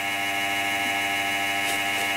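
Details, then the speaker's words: Compaq Presario SR5123WM desktop that won't POST without its case fan. A steady high whirring buzz with a rough grinding edge is confirmed as the case fan; the noise then changes. "Yes. That is the case fan that is making all that noise. And now the noise is different, so that's neat."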